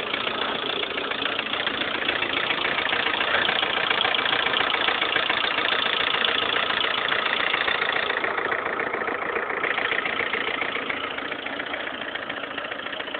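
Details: Lada Kalina 1.4 16-valve, 2011, 20,000 km, idle: sharp even knock about three and a half per second over the idle, piston knock; suddenly rattled like a tractor overnight, dealer fitted pistons of a different size group, fixed.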